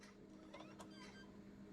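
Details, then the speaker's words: PS5 disc drive with bizarre fault: a couple of sharp mechanical clicks and faint steady hum, only the laser heard, no spin-up whirr; drive tries but disc never spins. "all right so we're not getting any disc spin [Music] one thing after another with this drive yeah the disc isn't spinning"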